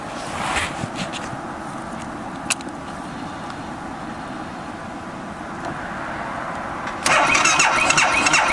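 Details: 2012 BMW Sertao G 650 GS single, about 3,150 miles, cold at 40.9°F, recurring starting issue (6th time): starter churns steadily at about three turns a second but never fires or catches; cranking no-start, cause unconfirmed (decompressor lever suggested).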